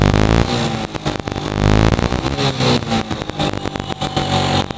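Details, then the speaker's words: Carbureted motorcycle after fixing rich fuel mixture that fouled spark plug black, run a few minutes: engine rises and falls cleanly through several blips with no misfire or stumble; now revving normally. "Nah setelah kita Gebyar sepeda motornya kita hidupkan beberapa menit namun dia udah normal seperti ini"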